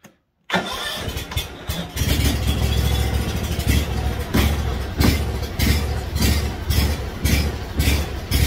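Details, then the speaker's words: Kawasaki FH580V 19 hp V-twin on a Scag Freedom Z mower starts and idles unevenly, surging and stumbling even at high idle. It improves with choke, suggesting a plugged jet; fixed by a replacement carburetor. "you can hear it doesn't idle smoothly. Even at high idle it doesn't. Now I can take that and give it a little bit of a choke. And if I choke it, it does allow it to do a little bit better. But that, I believe, tells me that there's a jet or something that's plugged on that."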